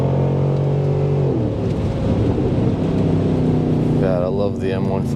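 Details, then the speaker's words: Mercedes ML with M156 AMG V8 and muffler delete, test drive after intake manifold repair, new injectors, seals and breather valves, codes cleared: deep, even V8 pulling cleanly under throttle with crackles and pops; running great, issue fixed. "Hear the crackles and pops and the backfires. Of course, my car came with a muffler delete, so that's why it sounds so nice."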